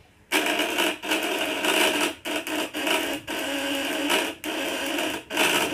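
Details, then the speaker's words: Coil device with contact breaker (platina) set at 500: harsh electrical buzz with bright rasp, sputtering and dropping out in short breaks; dirt on the points, which need regular smoothing. "ada kotoran di platinanya nih"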